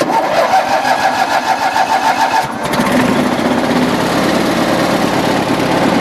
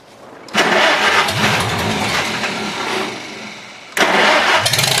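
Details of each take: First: Cold engine in snowy weather, just refueled and given more choke after stumbling. The uneven note steadies after a couple of seconds into an even, continuous run. Engine now running cleanly; normal running. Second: Farmall H four-cylinder tractor starting in cold, windy weather after its cables were cleaned; it leaks some gas. Two abrupt catches, then an uneven, stumbling idle that surges and sags, not yet firing on all four. Owner expects to clean it again. Rough-running misfire.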